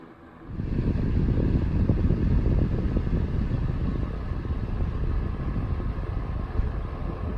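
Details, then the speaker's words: 1992 Super 8-inch box fan, model BF1000 (120V, 30W, 3-speed shaded-pole C-frame motor, plastic blades), serviced after cleanup, on low speed: a very faint, quiet startup, then a soft steady rush of air with no rattle or scrape, running smoothly. "here it is on low it's got a very faint startup sound very quiet and low it's a good breeze coming out of it"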